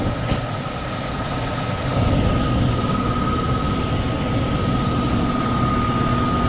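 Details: Downstairs furnace unit, call for fan not turning on, heat mode: loud steady low rumble with constant tone growing louder partway; blower vibrating. Tech suspects overamping and shutting off, bearings sound clear but loud on startup; will check rated amps and capacitor.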